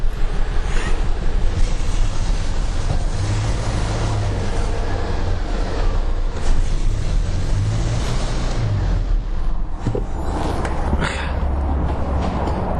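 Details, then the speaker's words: Toyota Hilux, 3 years in fleet service, VVTi, warmed up: uneven shaky low idle beat with one cylinder deliberately disabled to test the ignition coil, so rough running on three cylinders is expected. "Көлік 3 цилиндрмен жасағасын кішкене троение болады, одан қорқпасақ та болады."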